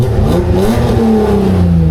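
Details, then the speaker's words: Nissan 300ZX Z32 drift car after disconnecting and reconnecting plugs cleared limp mode: engine revs smoothly and settles back without stumbling or cutting out; pulls cleanly, no longer held back. "Disconnected, reconnected this, disconnected, reconnected this, and now it's not in limp mode. Now it's all good."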